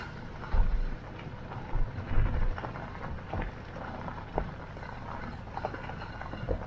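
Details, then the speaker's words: Citroen C25 2.5TD 4x4 Steyr-Puch propshaft universal joint worked by hand after removal: irregular dry clunks and gritty knocks; joint has almost no grease, what remains is dried out, noisy and worn, needs replacement. "this is the noisy one this is the reason why I took it off because as you can hear this is making a lot of"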